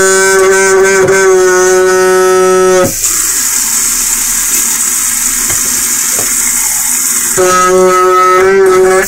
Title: Val's Vlog - LOUD HUMMING KITCHEN SINK